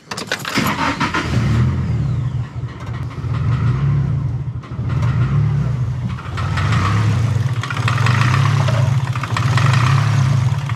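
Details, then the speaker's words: Nissan SR20DET (S13/180SX/240SX), idle screw opened: the engine catches, then the idle rises and falls in slow swells about every 1.5 seconds. With the screw closed it cuts out. Owner suspects a vacuum leak; cause unconfirmed. "if i open this screw up the idle screw and then start it it'll hone a little bit and then it'll come back"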